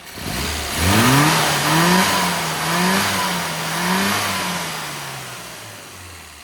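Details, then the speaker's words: 998 Mini after valve clearance adjustment, ignition work, a lean-spot fix and a new advance curve: fires and takes several crisp rev blips, each rising and falling smoothly before settling to an even idle; very healthy, responsive running. "Very healthy."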